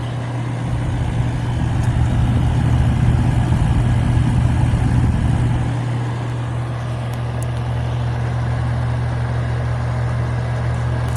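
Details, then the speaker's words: 1983 GE Carry Cool air conditioner, R-22, restored, thermostat replaced, tested in a bedroom window blowing ice cold: steady low compressor hum with even fan rush, no rattles or squeals; normal running. "Sounds good. Boy, does it feel good. Another successful restoration."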